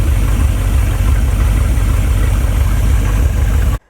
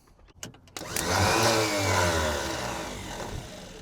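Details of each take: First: Abandoned Chevrolet C10 project V8, idling until shut off: even, steady low idle with no knocks or misses; it runs quite well and sounds healthy. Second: Abandoned Chevrolet C10 project engine, starter jumped directly with not all plug wires connected: a few clicks, then a light high whir that coasts down with no cranking beat. The starter spins freely without engaging the flywheel; either no flywheel or the gear isn't throwing out.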